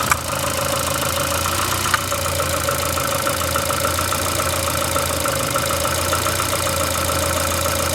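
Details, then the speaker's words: VAZ 2115 8-valve at idle: busy steady idle with faint rapid tapping over it, knocking or rubbing. Appeared after cylinder-1 head gasket failure and fluid change; valves adjusted 3 months ago; check-engine light on. Cause not found. "что-то стучит. Будто это чуть-чуть."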